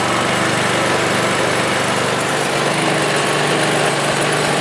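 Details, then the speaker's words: Ariens snowblower after tightening the drive belt idler arm so the belt stops coming off the pulleys: small single-cylinder engine running fast and steady, buzzy note, no slipping squeal or flapping; normal running, belt stays on. "and as you can see now that belt will not come off that should fix"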